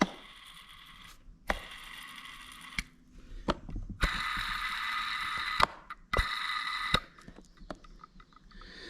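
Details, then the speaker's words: VW ALH TDI diesel during timing belt job: old timing belt idler roller spun by hand gives dry gritty rasp fading as it coasts; bearings sound bad with some play, so both rollers replaced. "replacing both of these bearings because I don't like the way they sound, and I got a little bit of play in them."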